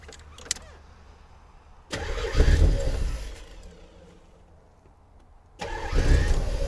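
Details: 1984 Corvette after distributor reset to top dead center, smoking and burning oil: two quick cranks catching right away, flaring then settling to steady idle each time; starts and runs fine.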